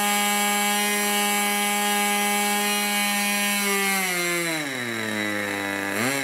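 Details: 1980s Irvine 40 MkII ABC glow engine with twin-needle carb, 10x6 prop, 7% nitro and 20% oil fuel, on its first run: a high buzz holds near 12,000 rpm, then sags and wobbles lower. It is running rich on the low-speed needle.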